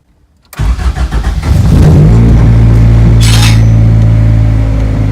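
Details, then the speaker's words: RHD Honda Integra DA6 starting just after an AEM 4100 wideband install: cranks in uneven bursts, catches and settles to a steady low idle. A brief unidentified noise and hiss; owner suspects a tool left under the car. Wideband reads very lean. "Not sure what that was. It was a noise that was just made. Maybe I left a tool under the car."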